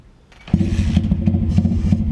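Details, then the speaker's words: Stomp Z40 140cc pit bike cold start after removing the rear end of the exhaust baffle to fix a common exhaust rattle: catches quickly and settles into a steady, even putter with no tinny rattle; normal. "So you can't hear the rattling no more in the exhaust. All gone, just took the back end of the baffle out."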